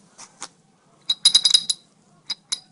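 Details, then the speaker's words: Chevrolet Blazer / GMC Jimmy / Sonoma / S10 4x4 front axle: loud, uneven metallic clicking when engaging four-wheel drive; a sticking transfer case vacuum switch partially engages the axle disconnect, chewing up the gears. "that's your clicking so it's whenever you have clicking in the front end uh you know like like that pretty loud pretty loud click whenever you try to engage four-wheel drive or even if it does it all the the time you got a A sticking vacuum switch and these gears will be chewed up"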